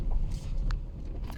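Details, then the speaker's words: VW Polo: two short, sharp clunks about half a second apart, the typical knock of worn anti-roll bar links; the knock went away after the links were replaced. "этот стук будет характерный особенностью поэтому Не ездите по сервисам а сразу Идите и меняете свои стойки"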